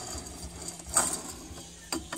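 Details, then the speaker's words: Removed original wheel bearing turned by hand: loose, uneven clicking and light rattling, the bearings moving freely in their race from age and wear; worn bearing to be replaced using a homemade tool instead of a press. "Listen to that. The bearings are just moving freely in"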